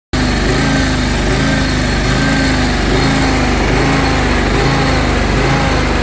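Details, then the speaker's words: John Deere X540 mower, neglected for 20 years and hard to start (needing full choke), hunts at idle, its speed swinging up and down about once a second; lean fuel starvation causing the surging. "So, in the video you just saw, it was idling up and down, up and down, up and down, up and down. And we also had a hard time to crank it."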